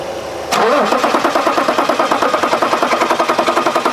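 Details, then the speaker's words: 2011 BMW X5 3.0 L diesel, crank no start, starting fluid sprayed into intake and accelerator pressed: starter spins about six or seven even compression pulses a second but never fires; engine sounds mechanically good. "very odd very odd it doesn't start with starting fluid I mean the engine sounds good I don't think we have a mechanical issue"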